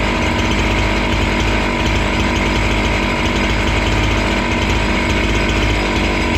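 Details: Husqvarna 268 two-stroke chainsaw, which stalled once warm and would not restart, cutting after air intake check: holds a strong, steady high rev with no bogging, stalling or surging. Normal running under load.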